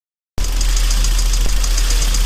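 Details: Kia Sportage 3 engine at idle with a light, even tick about six times a second on top; a knock in the engine, cause not pinned down.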